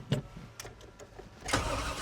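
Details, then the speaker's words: 1991 Chevy Suburban, stock, stalled during off-road track testing; pumped and cranked: a few clicks then steady cranking that never catches, no fuel; crank no start, no fuel. "no fuel well we broke it just not in the way we wanted to"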